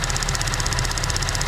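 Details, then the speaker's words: 2014 GMC Acadia idling, engine not fully warm: a fast, even tick about sixteen times a second, like lifter tick, from a failing purge valve; it gets louder as the engine warms and goes much quieter when the valve is pulled off. "just like lifter tick. Now watch when I pull this off. Listen. I have to get this off there. How much quieter it is."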